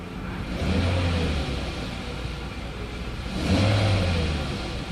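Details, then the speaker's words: Mercedes S500 with a working E-gas throttle module: two crisp blips that rise cleanly and settle back to a steady idle; throttle responds normally. "So it does accelerate, it keeps the idle steady. The actual throttle is making the sound, so that is fine."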